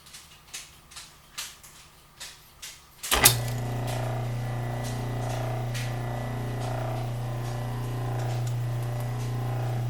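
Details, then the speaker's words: 1936 Maytag Model 30 washing machine, motor not bolted down, restarted after running almost 30 minutes: after a few clicks it starts with a steady low hum and runs smoothly and evenly, no knocking or grinding; normal running. "motor is still free spinning quite well after the powers cutoff"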